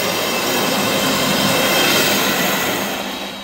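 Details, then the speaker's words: Firetrol diesel fire pump controller switched off for waterflow testing; jockey pump running as system pressure drops at the inspector's test ball valve, riser one waterflow alarm bell ringing outside: bright, sustained metallic ringing about three strokes a second, sounding as intended. "Jockey pump is running and I can already hear the alarm."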